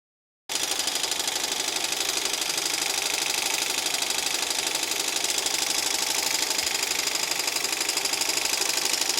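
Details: Embroidery machine stitching fast with harsh gritty rasp over rhythmic ticks: grinding at the hook/shaft, knocking hook timing out of its 100° setting.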